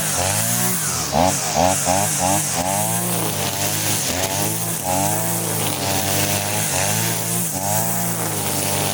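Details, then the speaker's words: Side-mounted two-stroke brush cutter with its carburetor mixture screw set half a turn for string-line cutting, cutting grass: a steady high buzz whose revs dip and recover quickly without labouring. It sounds light and runs normally under load. "bunyinya itu ringan guys ya, bunyinya itu ringan, tidak ada ho ho ho, tidak ada ya."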